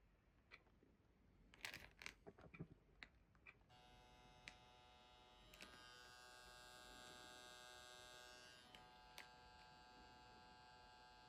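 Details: Fujifilm GF 100-200mm lens occasionally buzzing when switched off or entering playback: steady high electric buzz about eight seconds, then abrupt stop; occurs on 3 GFX bodies, persisted after a Fujifilm repair.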